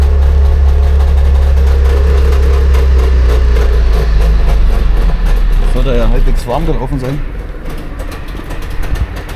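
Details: Trabant 601 two-stroke: deep burble runs steady, then dips and turns ragged as revs fall, no clean idle; screw to be backed out about one turn; cause suspected, not confirmed.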